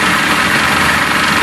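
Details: Johnson 60 HP outboard that had no spark, now running after a dangling ground wire was reconnected, with smoke: a short stretch of steady, buzzy two-stroke running with no stumbling or misfire. Normal idle.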